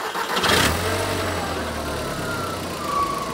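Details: Neglected Audi TT Mk1 coupe during pre-MOT checks, started after a new battery and fresh fuel. A brief crank catches quickly, and the revs flare then settle into a smooth, even idle with no stumble: a healthy start.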